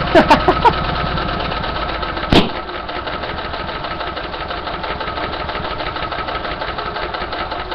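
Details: Small engine running on hydrogen, choke wide open, timing unchanged, can't reach full RPM; uneven stumbling patter of about three beats a second with sharp pops: rough idle.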